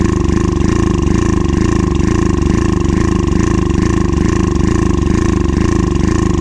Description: Access motor ax700 misfires, hesitation. Injector is clogged, fuel pump issues and fuel filter is clogged.